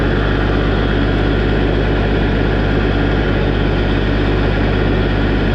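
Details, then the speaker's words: Tractor 1550 at diesel idle after a hydraulic pump replacement and a used relief valve fitted (to be shimmed to 2000 psi): steady rushing hiss of relief flow, meaning it now builds pressure at idle, which it couldn't before. "was nice to hear that relief flow cuz that means uh it's generating pressure it couldn't do that in an idle before"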